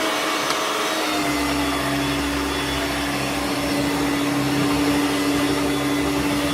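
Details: Hoover Turbomaster U5094 upright vacuum after refurbishment, brush roll off: steady, even motor whir at one clean pitch, no rattle or scraping. Both motor bearings had been seized, fancase one spinning on the armature shaft; bearings now smooth.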